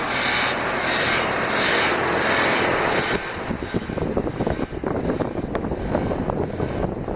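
Continuous raspy rub that pulses about three times a second, then turns into scattered scrapes; something is rubbing, source unknown.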